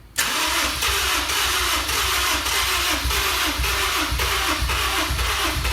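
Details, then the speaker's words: Honda S2000 project car, new battery, fuel treatment added; held cranking with no throttle, steady fast starter churn with weak uneven firing pulses that never catch; hard start, cause not pinned down; it started shortly after. "I would just hold on to it, let it crank up. Just don't give no gas, because that's not good for it. I'm not going to push the throttle. I'm just going to hold this. And hopefully we won't burn up a starter or anything."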